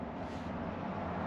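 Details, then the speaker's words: 1996 Land Rover Discovery V8, revived from non-running, low miles, with new plugs and wires, new head gaskets with ARP studs and new oil pump; low steady even burble at idle, no knocks or ticks, healthy. "this thing is all set to go now new plugs and wires new head gaskets"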